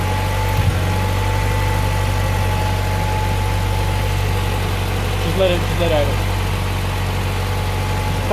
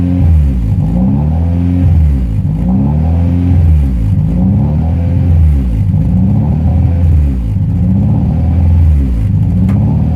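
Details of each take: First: Honda Prelude H22 after replacing leaking brittle intake manifold gasket (vacuum leak) and cleaning the intake: steady even idle, smooth low hum, no hunting or surging; idle surge fixed. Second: Honda Prelude H22 engine idle surging, rising and falling about every two seconds and never settling; attributed to a vacuum leak, concluded to be the intake manifold gasket after other fixes failed, recorded before replacing it.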